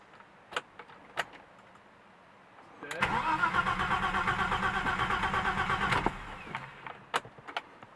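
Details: BMW M20 first start after new head with 274 cam, 19lb injectors and Mark D chip: about three seconds of steady even cranking, never catches; turns over but no ignition, cause not confirmed.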